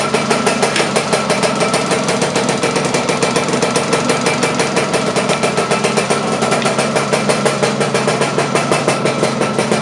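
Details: Laverda LB 125 with a Zundapp KS 125 WC two-stroke engine, first starts after a rebuild: rapid, even firing with a steady, crisp beat and no knocks or misses; it is running cleanly.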